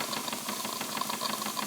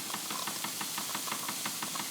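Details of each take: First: Wilesco D20 steam engine at about 1.6 bar running clockwise: quick, even exhaust beats over the hiss of the lifting safety valve, with condensed-water gurgling, normal running. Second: Wilesco D20 toy steam engine running; a sharp, regular knock about six times a second, which quiets when the engine runs in the opposite direction.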